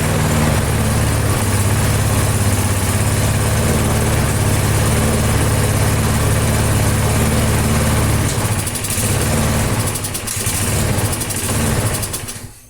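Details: AL-KO Silver 52B mower with a Briggs & Stratton 675 series engine, warmed a few minutes before an oil drain, throttle at idle: steady low putter with an even beat, no misses or knocks. Normal idle.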